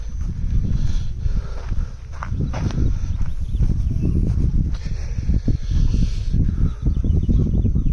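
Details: Perkins 103-10 diesel repowering a Cushman Truckster, weak battery on charger set to engine start: long steady low chugging as the starter turns it over with no firing or pickup; cranks but won't start, cause suspected, not confirmed.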